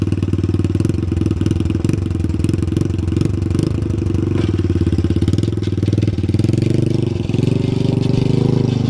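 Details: 1983 Honda Big Red ATC200e three-wheeler, 200cc four-stroke single with chain drive, ridden on a lawn with idle set high: a steady engine note over a rough rasping grind, the chain rubbing on the skid plate; a new chain and sprocket are needed.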